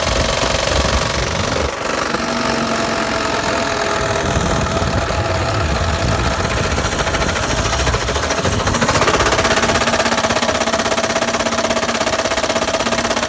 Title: Blown up engine got rod knock